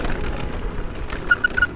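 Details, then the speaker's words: New Specialized Levo 4 Expert e-MTB on an enduro trail descent: brief high-pitched chirps, three in quick succession, over rough trail rumble; front suspension fork squeaking, cause unknown. "Boah, Alter, das Geche geht mir jetzt schon mega auf den Sack, ehrlich gesagt."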